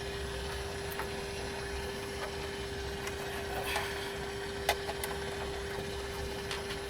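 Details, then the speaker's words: Pioneer SX-450 15 W/channel receiver on the bench during tuner alignment: a steady mid-pitched tone with faint ticks under the hiss, from the pulsing power indicator light circuit interfering with AM; it stops once unplugged. "just listen to that sound and as soon as I get this unplugged that sound will magically go away if you notice the sound is gone"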